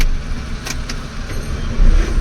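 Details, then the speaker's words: Maruti Alto K10 after starter motor repair for a jammed bendix (no-start when hot): quick clean crank, engine fires at once and settles into steady idle; no lag, also with AC on. "ഒരു ലാഗും ഇല്ല"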